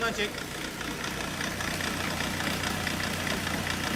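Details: Ford Connect diesel before injector overhaul: an uneven idle with loose, irregular knocks about two to three a second and a stumbling beat, misfiring because the injectors show excessive back-leakage.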